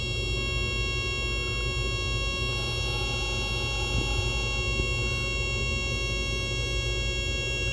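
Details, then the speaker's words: SR105 VIC/WFC cell setup, duty pulse increased: steady high electrical whine over low hum growing harsher, sound changing as inductor saturation suspected, with noise on purple rail. "I think you can almost tell when saturation happens that waveform right there."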